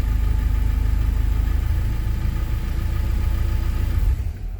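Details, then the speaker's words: K24-swapped Honda CRX after smoothing the throttle body's rough contact spots, with TPS reading 0%: very low, lumpy idle pulsing about three times a second, then the engine dies as the throttle passes a sticking point. Stall from sticking throttle. "Oh, it stalled out the second. So, I did feel like it was sticking a little bit and the second it went past that little sticking point, that's when the engine stalled."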